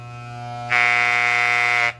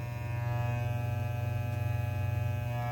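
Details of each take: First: Soling Barber Pro Chrome hair clipper, finger resistance applied at blade corner near right-side adjustment screw: low steady hum jumps to loud harsh buzz under load, then falls back; blade tension misadjusted, would stall on thick, curly hair. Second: Soling Barber Pro Chrome hair clipper, lubricated, with ceramic blade (noisier than the original steel blade): steady low buzz and even high whine, no rattle or labouring; running normally.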